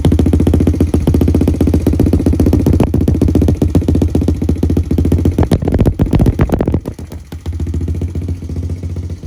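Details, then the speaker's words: 2003 Honda TRX90 quad after full rebuild with brand new cylinder and piston, after first heat cycle: quick even popping beat, steady through a brief throttle dip, no knocks or rattles; normal running, seems healthy. "got this thing running she's sitting here idling sounds good seems to be running pretty healthy"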